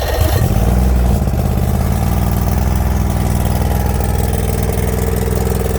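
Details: 90 hp Chrysler outboard on a long-forgotten late-80s/early-90s Glastron bass boat, first start attempt with water supplied: catches after a short crank, then a low, slightly uneven drone; runs rough, owner thinks the carburetor may need doing.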